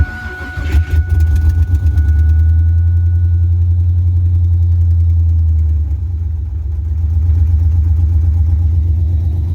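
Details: 2000 Firebird LS swap, first fire-up after new exhaust manifold and exhaust fitted: V8 cranks, catches and settles into a deep steady idle with even pulses, no knocks or ticks; healthy.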